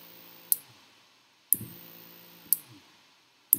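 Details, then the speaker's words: Arduino relay module switching a battery to a small DC motor: a crisp click about once a second, each followed by a short motor buzz as its torque makes it twitch. Normal relay switching. "starts up the torque of the motor makes the motor twitch which you can hear it as well"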